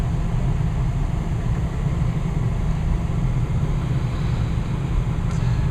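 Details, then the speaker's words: Westinghouse gas furnace, installed new in April: thermostat back down to 68, burner off, the blower keeps running and eases to a slower speed before shutting off, a smooth, even low whoosh of air with no rattle, scrape or squeal; normal run-down. "And the fan will eventually start to go in its slower, start to go into a slower speed. You can hear it smooth running. Alright, now the fan is slowing down."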